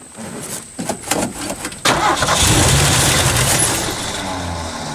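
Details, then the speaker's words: 1980 Ford van sat 20+ years in the woods, starter hot-wired, no fuel pump supply yet: several uneven cranking bursts, then catches with a rough, rising roar; fires briefly on residual fuel. "and it fires right up that's insane so i got this uh electric fuel pump here it's got a couple alligator clamps on it so you can clamp it right on the battery"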